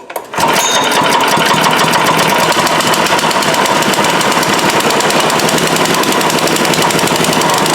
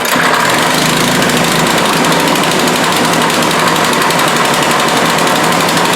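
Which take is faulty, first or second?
second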